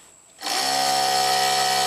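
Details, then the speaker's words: 1995 Jaguar Vanden Plas ABS pump motor unplugged from module and bypass-powered directly, drawing about 4 amps; spins up instantly to a steady high whine with no grinding. Motor healthy, so the fault is suspected in the ABS module's internal relay. "About 4 amps. It sounds healthy, normal."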